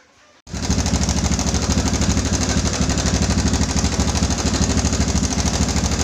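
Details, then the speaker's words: Yamaha Bison modified bobber, single cylinder at idle, just after adjusting the cam chain tensioner: even, steady beat with no chain rattle; noise gone for now, though it returned later and needed re-adjusting. "Oke, dan setelah disetel di bagian setut rantai kamratnya ini, berisiknya hilang."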